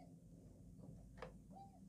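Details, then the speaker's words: Schiedmeyer c1897 6ft 3in rosewood grand piano, 85 keys, heavy action: short faint squeak between soft clicks as a key goes down, from excess friction/resistance in the action. "but it's not just that it's lots of resistance going through so you can actually hear it squeak as it goes down"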